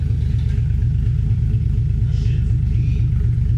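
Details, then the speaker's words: Freshly 1JZ VVTi-swapped Nissan 240SX S13 coupe, first startup on a new TIG-welded exhaust replacing the open downpipe: heavy low rumble with an uneven, lumpy pulse that never settles; rough, hunting idle on an untuned engine. "This will be the first startup, but it's on like a really crazy tune right now. It's not like, it hasn't been tuned yet. So don't judge the way that this idles."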